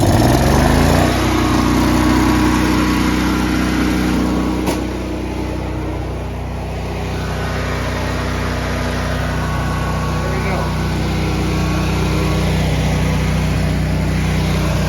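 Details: Honda EB11000 generator on propane from a 20 lb BBQ tank, after fixing a flow-restricting tank connector that caused hard starting: catches after a short crank and settles into a steady, even drone at constant speed; normal start and run.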